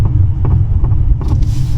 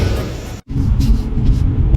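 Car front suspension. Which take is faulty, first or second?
first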